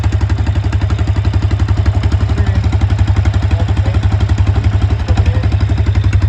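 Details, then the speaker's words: Honda small engine driving an Eaton series 11 hydrostatic transmission in a homemade inboard boat; owner says it runs poorly, carburetor not checked: low steady chugging near four beats a second with slight unevenness and clatter; rough running, cause unknown. "And at full throttle, the engine was between like 36 and 4,000. It wasn't really running quite consistently, but the transmission was spinning roughly 2,000 RPMs."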